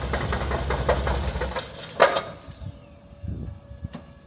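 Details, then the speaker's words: C5 Corvette started after its dead battery was charged overnight: the engine catches and roars, then settles into an uneven, lumpy idle with irregular thumps; misfiring and barely running, engine rebuild or swap being considered. "You could hear the engine noise. It doesn't sound very well."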